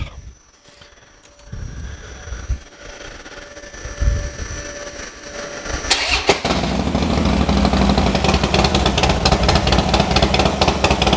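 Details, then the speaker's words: Harley-Davidson Dyna after fixing a loose compensator bolt: quiet until it catches near six seconds, then a steady loping twin idle with no clatter or slipping; healthy start. "starts sounds good to me sounds great"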